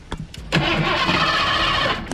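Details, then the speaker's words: Worn Ford Fox-body Mustang with no fuel delivery, started on starting fluid with throttle held open: starter cranks, engine catches and roars about a second and a half then dies. "now I don't really uh want you guys doing that at home but you know it will start your engine for a momentarily"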